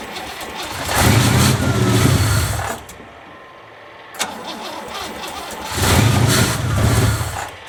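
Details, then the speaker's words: Cold 1963 Oldsmobile 88 V8 whose tank ran dry, with only a little gas added and a faulty choke: two long bursts of slow, uneven cranking with no catch, won't stay running from fuel starvation. "uh so we're going to get for now it doesn't want to stay running figure that out see if it chokes or something choke's kind of messed up"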